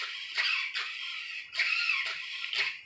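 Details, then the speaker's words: RC Vekta clone crawler, steering servo on a 5.7 V battery struggling to center the beefy steering: thin high strained whine in stop-start bursts, then steering briefly lost; owner suspects insufficient battery power, considering LiFe or LiPo. "You can hear that servo humming, huh? This battery is reading 5.7 volts. As far as, but it's like crying trying to move that sucker."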